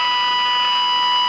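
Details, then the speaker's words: Tenma injector tone fed into the RF section at the IF amplifier input of an Elenco AM/FM-108K radio kit: a clean, loud, steady tone with no hum, crackle or dropout, so the stages from there on are working. "inject a signal at this point and what that tells us is that everything from that point to the right is working"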